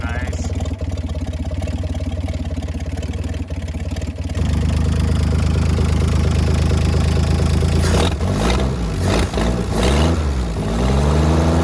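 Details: 1965 Mack B61 crane truck, Mack Thermodyne non-turbo diesel, long parked, block heater and boosted batteries: catches and settles into steady, even low rumble with some revving, no knocks or misses; normal idle once warmed.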